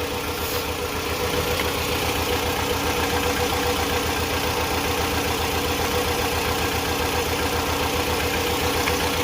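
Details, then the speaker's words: 2008 Toyota RAV4 with code P0302, cylinder 2 misfire: the petrol engine idles with an uneven, lumpy thump, shaking violently and not moving on throttle; unplugging coil 2 changed nothing. "I have a check engine light code p0302 misfire on cylinder 2 so let's take a look at it the car is shaking very uh violently if you can tell"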